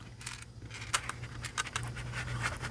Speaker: can hear it rattling around in there now i gotta rip it apart fix it and then continue with my review